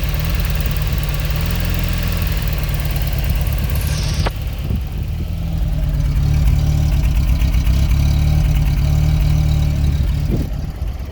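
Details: Fiat X1/9 engine at idle before revving: low, lumpy idle with an uneven loping beat of about three to four pulses a second before revs rise; rough idle, cause unknown.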